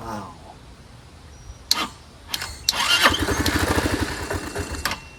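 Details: Curb-found Chinese 150cc Moto Cooper Revo/CF Moto scooter, ignition hot-wired, primed: several short cranks and clicks, then catches and runs unevenly; fires only when fed fuel, owner suspects fuel delivery problem.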